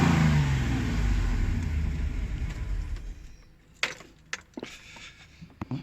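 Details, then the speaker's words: 1988 Range Rover Classic V8, driven daily recently without issue: deep V8 note holds then winds down smoothly to silence as engine is shut off, followed by a few light clicks; normal. "let me turn off this engine i'll give it a rev if you know it sounds"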